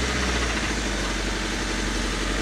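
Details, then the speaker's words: Honda Civic four-cylinder after rod knock repair, on jack stands, left idling without revving: even, steady idle with no deep knock from the bottom end; sounds healthy. "let it idle don't rev it up just let it sit there and idle"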